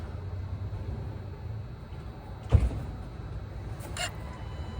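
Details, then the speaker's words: VW Golf Mk6 2.0 TDI throttle body, cleaned and off the car, scanner actuation test (car had flashing glow plug light, limp mode, P213800/P0121): one sharp flap snap then brief motor whir; actuator works properly. "And that in fact does appear to be doing what it's supposed to do."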